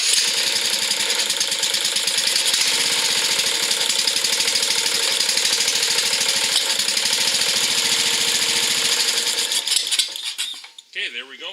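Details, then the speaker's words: Craftsman riding mower with a Briggs engine after carburetor repair done in place with the float bowl refitted; it previously got no fuel: a bright, steady putter holds an even beat and then winds down cleanly. It runs and idles properly. "there we go. Fixed it. Runs good, idles good."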